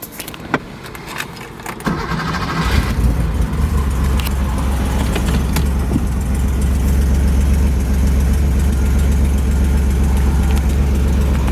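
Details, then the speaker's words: 1979 Porsche 911SC 3.0 Targa with 156k miles and matching numbers: key click, brief crank, then a steady, even low burble with no misses or knocks; the engine runs really smooth. "we'll start it up you can hear the engine runs really smooth"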